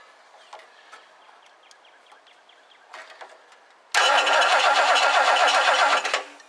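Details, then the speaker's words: 1969 Lincoln Mark III barn find after tune-up, belt tightened and distributor cleaned: starter cranks in a quick even rhythm, about four turns a second, but never catches; no spark, owner suspects failed coil or poor plug wires; crank no start. "this coil is in rough shape I wonder if the coil just totally gave out"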